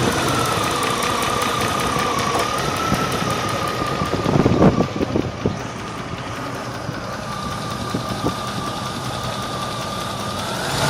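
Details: 1998 Range Rover P38 V8 at steady idle: a crisp tick about four per second, heavier sounding but keeping valve speed. Valve gear is suspected, not confirmed.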